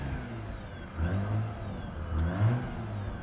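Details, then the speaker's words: Mazda RX-8 rotary, cold, after sitting four days in freezing weather and long cranking: rough uneven revving with throttle floored, stumbling and surging, smoking while clearing a fuel-flooded engine; low compression suspected. "this is pretty much uh it's been flooded with me spinning so much so it needs to work this"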